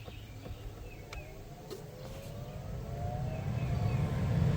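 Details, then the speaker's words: 2012 Toyota Sienna, newly replaced blower motor on high: it spins up smoothly with a soft, low whoosh of air and no rattle, squeal or scrape. Quiet, normal operation; only the air moving is heard. "Wow, what a difference. That is on high. Nice and quiet. The only noise is the air moving when I let you listen to it before it was on low."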